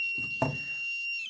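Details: 12 V, 4000 W modified-sine inverter (127 V, 60 Hz), repaired after burnt output MOSFETs: a thin, steady high-pitched electronic tone over faint clicks while the battery discharges. A low battery current alarm.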